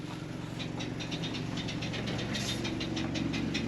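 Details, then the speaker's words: Built-in furnace of a '78 GMC Motorhome kicking in at 45 degrees: burner and fan roar with rapid uneven tapping about four a second; owner suspects a dirt dauber or two flopping around inside, noisier the day before. "There is probably a dirt dauber or two flopping around in there."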